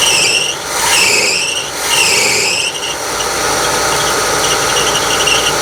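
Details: 1976 GMC motorhome engine after tune-up with new plugs, wires, cap and rotor: loud shrill squeal swooping up and down in pitch over the running engine, then steady screech; source not pinned down, belts due for replacement.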